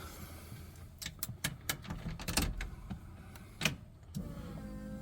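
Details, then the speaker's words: Car with Holley Sniper EFI, restarted after about 8 months sitting in 30-degree weather on low battery voltage: relay clicks at key-on, then a steady even electric whir as the fuel pump primes normally. "You hear the fuel priming."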